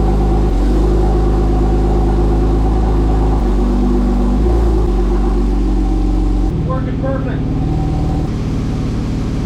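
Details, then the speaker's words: 997 Porsche 911 Turbo after a DIY clutch replacement without pulling the engine, with a working slave cylinder: a smooth, steady engine drone in first gear that rises and settles cleanly, with no chatter or grinding. "the slave cylinder and everything appear to be working perfectly that's an excellent start no weird noises everything sounds good"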